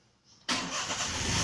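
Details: Car with a hidden security switch cutting power to the fuel pump through the fuse, switched on: a quiet ignition click, then the engine fires instantly and holds a smooth idle. The switch-enabled start is normal.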